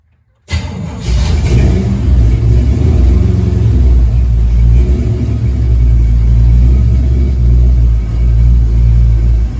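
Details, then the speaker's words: Jeep rock crawler first start after ACES Fusion EFI install, fuel system primed and leaks fixed, noisy fuel pump: engine catches quickly, revs briefly, then settles into a deep, steady, even rumble with no misses or knocks; normal start and idle. "Fuel pump's noisy, but so is this [music] thing, so once it's running, you don't hear anything."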